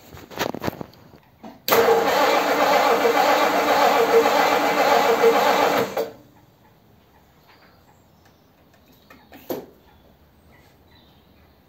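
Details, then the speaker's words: 1957 Ford Thunderbird with original carburetor float and metering plate refitted, after spark restored at coil: starter churns about four beats a second without firing, battery going flat; cranks but won't start, owner suspects flooding or fuel issue. "battery's flat now I think I flooded it okay nearly swore then don't know if it wants fuel or has got has had too much fuel"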